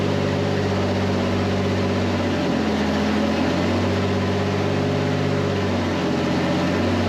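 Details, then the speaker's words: 1951 Chevy turbocharged budget rat rod, run for about a minute during its build: a steady, even drone with a deep low rumble, holding speed without stumbling or dying. The engine runs smoothly. "I just fired this up. I'm so excited. I mean, to actually hear it running for like, you know, a full minute or 30 seconds, whatever it was, makes me very happy,"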